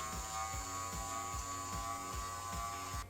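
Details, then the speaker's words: Subaru Forester driver's side window motor, replacement tested out of the door connected directly with ignition on, running down then up: even electric whir with light regular tick about 2.5 per second; motor works normally. "Now that we know that the motor works, what we're going to do is fit it in place and see if it brings up and down the window with no issues."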